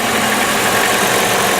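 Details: 1998 Chrysler Town & Country 3.8 L idling after replacing the number 1 fuel injector that had set fault codes. Steady, smooth mechanical hum with no missing beats, the normal Chrysler noise.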